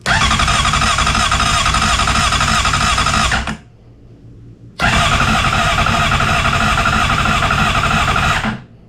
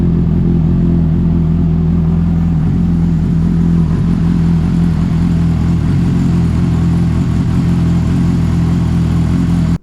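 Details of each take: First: 2007 Honda CBR600RR after oil, filter and air filter service, new battery, neutral with kickstand up, headlight wiring unplugged amid electrical issues; two long bursts of loud, fast cranking that keep failing to catch. Extended cranking, slow to fire. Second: 2007 Honda CBR600RR after oil, oil filter and air filter change and a new battery, started in neutral after hard starting: strong, steady four-cylinder drone, smooth with no knocks or rattles, holding revs cleanly; normal running.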